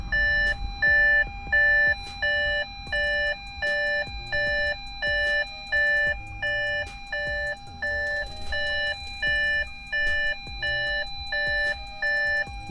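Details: Audi A6 C7 Avant 2.0 TDI 140 kW in reverse gear: steady repeating two-tone chime, about 86 a minute, warning of a faulty ultrasonic parking sensor.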